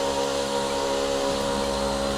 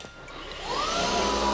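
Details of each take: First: DRYFT floor scrubber suction motor with tank on and hose squeezed: motor drone keeps the same steady pitch with no change, so the tank seal is leaking and suction is lost. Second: DRYFT floor scrubber after replacing the suction tank seal, suction on with hose squeezed: steady motor roar whose pitch climbs and holds higher; tank now sealing properly.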